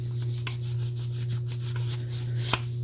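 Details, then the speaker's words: Late-1950s/early-1960s Western Auto Revelation V550 spincast fishing reel, after cleaning and push-button fabrication: cranking gives a dry scratchy rasp pulsing each turn; gear grinding, owner feared a broken main or pinion gear tooth and plans shim washers to take it up. "shim washers to see if I can get that gear grind taken up taken care of"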